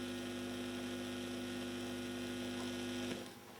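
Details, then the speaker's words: Lenco portable record player at 45 rpm after the owner's fix for a hardened rubber drive wheel that had been noisy against the metal wheel: a smooth, steady, low hum with no scraping or rumble, then a clean cut-off. The drive now runs much quieter than before. "That is much quieter than it was."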